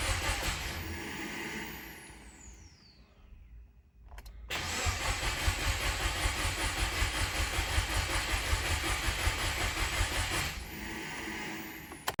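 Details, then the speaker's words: Subaru WRX after engine rebuild, cranked with fuel pump fuse pulled while waiting for the oil light to go off: even starter cranking about two and a half turns a second for six seconds, no firing. "fuel pump fuse is pulled so it will not start so we're just waiting to see when the oil light goes off"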